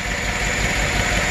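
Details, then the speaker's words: GM 5.3 DOD/AFM Silverado V8 running with the valve covers off: rough, lumpy idle with a steady pulsing stumble. The cylinder 3 intake rocker is not moving, so the collapsed intake lifter causes the misfire. "This one right here is not moving at all. No movement. That would be the intake lifter on cylinder 3. It's dead. So that's the source of the misfire, and that's the collapsed lifter."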